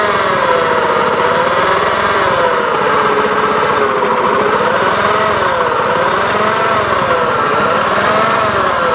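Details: Honda Beat FI eSP eco scooter at steady speed: loud, raspy buzz with pitch wobbling up and down; engine runs rough, cause unknown, asks for help diagnosing.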